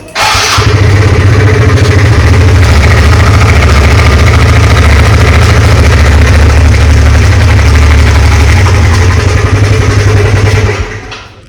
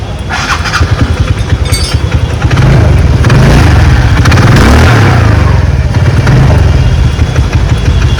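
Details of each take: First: TVS Ntorq scooter starting and idling loud with a rapid khat-khat knocking clatter from the engine over the low engine beat until shut off; taken to a mechanic, cause not stated. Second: TVS Ntorq scooter just after engine work with a new timing chain, tensioner, gaskets and engine oil. It fires up and settles into a steady putter with a couple of blips; the earlier noise is completely gone, normal idle.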